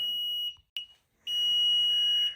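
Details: Newly installed Platinum Gladiator Performance unit in a basement: shrill, steady beeps around 3 kHz, each half to one second with short gaps; the cause is unknown.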